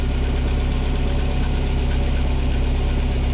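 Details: Nissan KA24DE in a 300ZX project car with newly fabricated quieter dual-exit exhaust: steady, even low rumble at warm idle with no knocks, ticks or dips; smooth, healthy four-cylinder idle.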